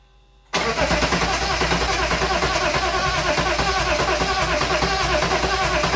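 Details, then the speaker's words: Replacement BMW M57 diesel just swapped into a BMW E36 Compact, first start without intercooler pipework, radiator or front end, not revved: catches instantly and settles into an even diesel clatter at idle, no knocks or misses; sounds healthy. "Alright, as you see, it starts, sounds alright."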